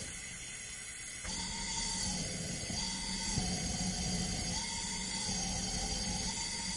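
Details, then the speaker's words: 2004 Mazda Tribute that died in a puff of smoke and now cranks but won't start. Mic is at the cylinder 5 plug hole while cylinder 4 is pressurized with air: a steady hiss with a faint whistle, air leaking into the adjacent cylinder, with a cause such as a blown head gasket suspected. "i'm gonna put my microphone right on the cylinder number five adjacent to the one we are putting compressed air in and listen i'm gonna block the air"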